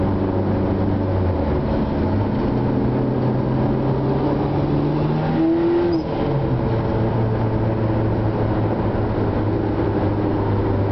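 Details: Honda Integra at three-quarter throttle in 3rd and 4th gear: engine note climbs and flares without matching pull, then settles. The clutch is slipping.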